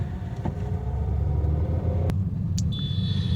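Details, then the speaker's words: Honda Amaze driven over a speed breaker before suspension work, heard inside the cabin: low rumble with a sharp knock and lighter clunks, suspension noise. "Car के अंदर इस प्रकार से आवाज आ रही है।"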